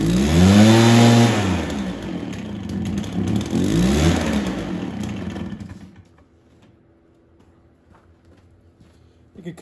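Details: Stihl BR430 two-stroke blower, sat for an unknown time, started on choke, before idle was turned up and carb tuned: revs surge and sag in uneven waves, then stumble and nearly die; rough running that keeps wanting choke.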